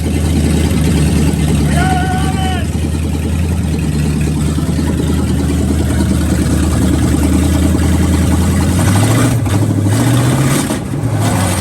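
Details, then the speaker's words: Mid-1970s Canadian military Chevy 5/4-ton gas truck with a salvaged carburetor and the fuel pump fed directly from the battery: steady, even low rumble, then a couple of brief revs; the engine runs well. "Brandon's truck here seemed to be running good. We ran it for a few minutes. I had my hands on for the fuel pump uh keeping it on the battery, but it was running pretty not bad for the floor carburetor."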